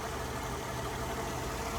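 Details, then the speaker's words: 2001 Mercedes-Benz C240, base small six-cylinder, 135,000 miles: quiet, smooth idle with an even hum and no knocks, ticks or misfires; running perfectly, though a wobbly crankshaft pulley was noted. "I mean, running perfect."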